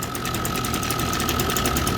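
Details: Echo SRM 225 string trimmer with a clogged muffler spark arrestor: rapid ragged popping and sputtering crackle over a buzzy note, spitting back and unable to clear; fuel spitting out at the air filter.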